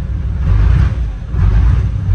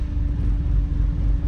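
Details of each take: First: Chevrolet Silverado diesel after replacing the injector lines: deep rumble surging unevenly about once a second, lumpy and hunting, a cylinder not firing while trapped air clears from the injector lines (bled by cracking lines while running), then smooths out. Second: Chevrolet Silverado diesel after replacing the injector lines and bleeding air: steady, even low rumble with no misses, a smooth clean idle.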